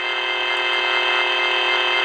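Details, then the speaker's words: Radio kit on bench: steady bright buzzing whine sits over the audio and never changes; noise comes from the bench power supply, not even registering on the milliamp reading. "so that's obviously from the power supply it's not even registering on the milliamps"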